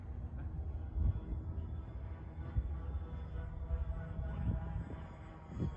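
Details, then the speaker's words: Avios (Hobby King) C-130 RC model converted to EC-130V, first flight on 4S 4000 battery: low droning propeller hum with a rough, wavering throb in flight; one prop slightly out of balance. "That sound. Yeah, the props are... One prop is actually a little bit out of balance. That's what's making that sound."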